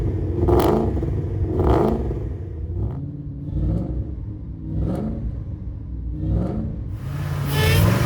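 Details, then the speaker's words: Supercharged V8 Mustang with likely non-stock pulley and VMP heat exchanger at salvage auction, possibly on E85 after rough start: deep steady idle with supercharger hum, sharp clean rev blips falling back smoothly; engine sounds healthy. "Everything in the engine bay looks and sounds great. Even at idle, you can hear that eating supercharger just humming along."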